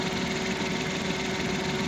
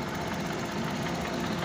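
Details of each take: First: 2020 Suzuki Transformer DA63T engine: even steady idle with no misfire or shake after replacing a failed spark plug that had caused heavy engine vibration. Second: 2020 Suzuki DA63T truck with strong engine vibration: uneven, shaky idle with a rough stumbling beat; misfire.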